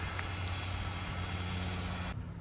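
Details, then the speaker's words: 2008 Nissan Versa with CVT, engine run about 15 minutes to warm the fluid before draining: steady idle with a constant thin whine that doesn't change pitch; CVT whine, with some metallic debris later found in the pan. "Okay, been about 15 minutes to warm that fluid up. Yeah, that noise sounds terrible."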